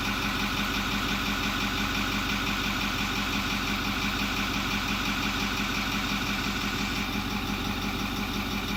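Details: 2008 Ford F250 6.4L turbo diesel after replacing the failing electric fuel pump and purging the system: steady, even diesel idle with regular clatter about a beat and a half per second, no misses or stumbles; healthy idle.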